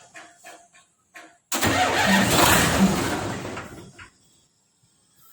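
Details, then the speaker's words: Fuso 6D40 truck diesel with wiring problem that previously would not start (starter only clicked, new starter fitted); clicks, then engine catches at once with a strong roar and runs smoothly briefly, radiator not yet installed, test start only; normal start. "na andar na hindi lang namin pinatuloy kasi wala pa yung sa radiator yung try lang namin na para maandar Eh"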